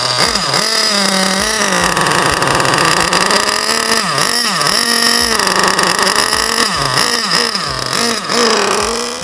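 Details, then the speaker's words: Basher SaberTooth 1/8 nitro truggy engine on its first break-in tank, kept running with throttle trim: it blips up and down with a wet, gurgling, uneven note; running very rich, which is normal during break-in. "And then since it's running so rich, you can also keep a little throttle in there or adjust your throttle trim to keep it running since it's so gurgly rich. And this is just part of the break-in process."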